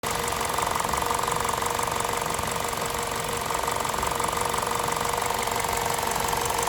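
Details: VTi 120 petrol engine, 137,700 km, warm idle: fast, fairly even light ticking about three per second from the left side of the rocker cover; valvetrain ticking, cause unconfirmed.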